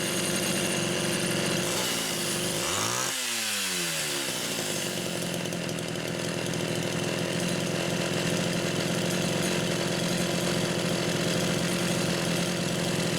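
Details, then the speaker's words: Rebuilt Homelite Super XL carburetor no. 3, fitted with a new pump diaphragm, test-run with the throttle worked by hand after the linkage slipped: steady high rev with a quick dip and clean pickup, holding even speed; runs normally. "But I'm going to say number 3 is charmed too. It's funny, every single one has tuned quite a bit differently. I've had to adjust the idle speed on each one."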